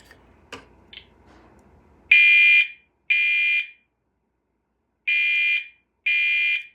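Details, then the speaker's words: Potter fire alarm horn on its default configuration, recorded right next to the unit. Four loud, buzzy, high-pitched half-second blasts in two pairs, sounding exactly like a Gentex Commander 3. "It actually sounds exactly like a Gentex Commander 3. That's how it sounds like on its normal configuration."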